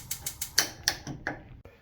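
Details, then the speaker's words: Old-style Jenn-Air CVG4380 gas cooktop: left burner igniter clicks about four times a second but the burner never lights, while other burners fire right up; failed igniter, which was replaced. "So, if we look at, uh, this burner here, turn it on, you can hear the clicking and it fires right up. Same thing here on the right. Fires right up. Here on the left, nada. Not working."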